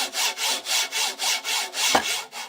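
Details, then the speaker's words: Sovol SV06 3D printer with its original linear bearings, belt off so no motor noise: a harsh gritty rasp as the carriage is stroked by hand. The owner suspects over-greasing made the bearings fail, and they are being replaced with Igus drylin RJ4JP-01-08 bearings. "And without the belt on, there's no there's no motor noise. You can hear how loud these bearings are, the original ones."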